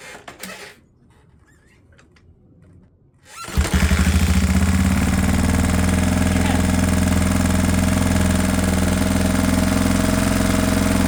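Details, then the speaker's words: 1979 Honda XR500 four-stroke single, first start after rebuild and ten years stored: catches with a pop, then a fast steady thumping idle held too high, backfiring, header pipe smoking as oil burns off, sounding a little lean. "Idle sounds really high, too. backfiring."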